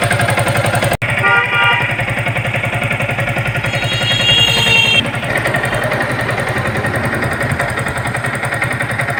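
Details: Yamaha R15 motorcycle at 17,240 km: a harsh, rattly clatter over a busy, fast engine beat, constant at steady revs. Cylinder head removal showed a badly worn piston slapping in the bore, plus some valve trouble.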